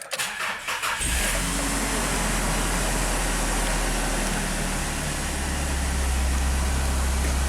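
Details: Mazda MPV starting after a replacement transmission was installed: the engine catches after a brief crank and settles into a steady, even idle with no knocks or slipping noises. The start and idle are normal.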